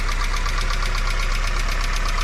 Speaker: si el motor hace este sonido constante que es como de un tic tic tic tic tic en la parte superior del motor, significa que los balancines están desgastados.